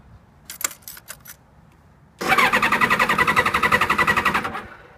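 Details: 1998 Kawasaki ZX-7R, a little over 38,000 miles, cranks but won't start: a few clicks, then seconds of quick, even starter chugging that never catches. It ran out of fuel and drained the battery; fresh gas and a recharge haven't helped.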